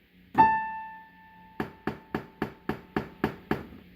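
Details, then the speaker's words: Casio PX-850 digital piano: sharp popping crack from the speakers on each strike of the A5 key (also Ab5), louder with harder strikes and quieter with softer ones; speaker popping on a single note. "The issue is that when you use the hit the A5 key, it makes a popping sound."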